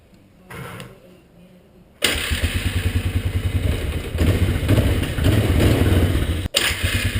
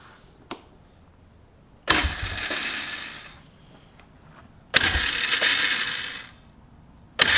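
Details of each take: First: 1998 Polaris Scrambler 500 H.O. after the starter bendix was cleaned, greased and reinstalled; it had been sticking on the flywheel and grinding: a short starter pull, then the single cylinder catches cleanly and runs a steady thumping idle with no grinding. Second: 1998 Polaris Scrambler 500 H.O. starting: four harsh grinding bursts with ringing tails; starter Bendix reportedly hits the flywheel and doesn't retract; owner suspects dirty or rusty starter solenoid.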